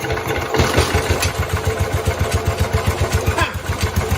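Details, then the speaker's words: 1969 Cub Cadet 105 after engine reassembly, choked, fuel fitting leaking; single cylinder catches briefly in an uneven chug of three to four beats a second, running rough; owner thinks engine slightly out of time. "I think the engine was out of time a little bit it did start as you guys saw and it was choked and it's still leaking great so okay it was starting to run rough"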